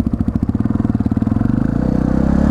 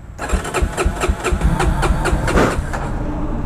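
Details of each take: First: 1999 Yamaha TTR 250 in neutral after the carburetor idle screw was properly adjusted (the fuel-air screw had been mistaken for it). It gives a crisp, even single-cylinder thump and a steady, quicker idle; runs better than in a while. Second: 1999 Yamaha TTR 250 single, troublesome for about half a year, with a fresh battery and new starter solenoid. It cranks in quick pulses, about four per second, with a few weak firings but won't catch: hard starting.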